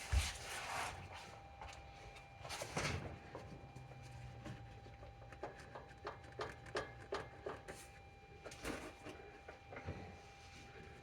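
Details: Nissan Xterra: irregular hollow clunks and knocks from the passenger side over a faint steady cabin tone.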